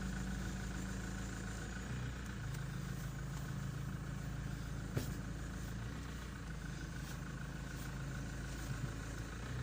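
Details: After flushing and refilling the power steering system and letting it cool, engine idles smoothly with a steady low hum and no whine or groan as the wheel turns; steering pump sounds healthy.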